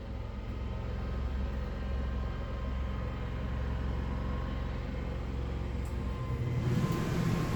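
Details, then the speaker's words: Yamaha generator with NPS eco kit loaded with one air conditioner: steady low drone deepens and rises slightly as the compressor comes on, from about 55 to 58 dB, no surging or knocking; generator takes the load fine. "There you hear the compressor come on. So according to the decibel meter, that put it up around 58 dB from 55."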